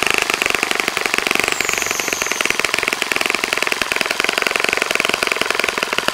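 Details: Saito FA-65 model four-stroke on its first run after rebuild, APC 12x6 prop, Morgan's Omega 10% fuel, Fox Miracle plug, heavily primed to start; rapid crisp even firing at high speed, holding steady with no sputter; normal running.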